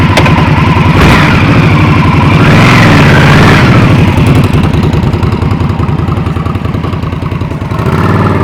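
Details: 2020 Indian Scout Bobber V-twin starting on newly fitted Vance & Hines 3-inch Slash Cut slip-ons replacing stock exhaust: fires cleanly, blips up, settles to even steady idle with a loud deep lope; normal start and running.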